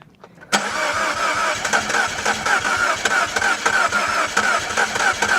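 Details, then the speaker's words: R56 Mini Cooper S, N14 engine, first start after rebuild with reconditioned head, new valves and stem seals: catches after cranking, runs rough and surging, then stalls. "It did go, and now it's just stopped. It does want to go."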